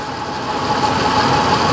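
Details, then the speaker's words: 1956 Chevy Bel Air: lumpy, uneven idle with steady rumble and no clean even beat; header water-spray test shows two cylinders not burning off, dead cylinder misfire at idle. "unning on 5 cylinders."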